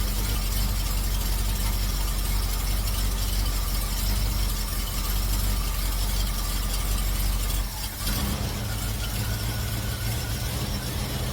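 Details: Cutlass V8 after fitting MSD 8225 HEI coil, MSD 83647 module, Moroso Ultra 40 wires and ACDelco R44LTS plugs to cure long-running misfire: deep, steady, even idle, no stumble or miss, with timing set close, carburetor circuit adjusted, vacuum mid-range.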